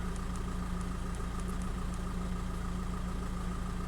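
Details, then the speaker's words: Warm 2005 VW 2.0 TDI PD (BKD, no DPF) at idle: steady low diesel rumble with an even firing beat and no knocks, misses or hunting. EGR values match with no leaks, and specified and actual boost are closely matched; healthy. "But yeah, they're nice and closely matched, and if I rev the engine, that's perfect. Yep, spot on."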